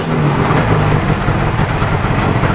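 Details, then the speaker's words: Yamaha RZ500 two-stroke restoration first start, carbs, air boxes, cooling system and wiring loom redone; steady, even engine note with strong low rumble, no knocks or misses — normal running. "Sounds good though. It runs really great. I mean, lovely. I'm really super pleased with that."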